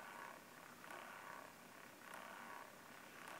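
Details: MacBook Pro running hot at back-left of keyboard: faint fan airflow with gritty crunch swelling and fading, stops when tilted near vertical; fan clogged with lint from resting on fuzzy blanket, fixed at Apple.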